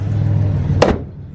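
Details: LS-engined turbo car, driving: low steady engine drone, then one quick firm shift near one second as note drops; clean, healthy automatic upshift.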